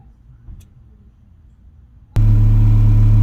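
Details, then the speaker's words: 1991 Acura Integra DA9, B20 swap on B18 base map after OBD1 conversion, warming up: after quiet lead-in a smooth, steady, even idle around 900 rpm; normal warm idle. "starting to warm up a little bit I know it's like around 900 . that's perfect"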